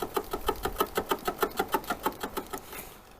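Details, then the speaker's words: Lada Vesta, fairly new car: light crisp ticking creak repeating steadily about three times a second, clearly heard from the right side; owner suspects an engine mount, cause not confirmed; rhythmic creak still present. "ну и вот ребята вот этот звук до сих пор он присутствует не сказать чтобы он сильно напрягает но очень неприятно"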